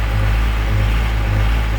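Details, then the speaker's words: Diesel tractor idle hunting in slow waves about every half second; owner attributes it to a spring losing tension, says it disappears with throttle or AC load, simple kit fix. "it's not keeping the proper tension on that spring so you hear the surgeon but once you give her a little throttle it completely goes away"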